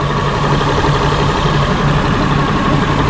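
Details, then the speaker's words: 2002 Honda Accord coupe V6 idling after timing belt, water pump and radiator replacement and coolant refill; steady even idle with no knocks or misses, thermostat working, heat blowing, holding temperature; normal idle. "Smooth. Thermostat is working perfectly. Heat is blowing."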